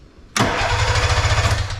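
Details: Arctic Cat Puma Deluxe 340 snowmobile, sat about 10 years, stator brown and black wires jumped to bypass the switches: starter spins the engine with quick even pulses but it never catches; spark now present.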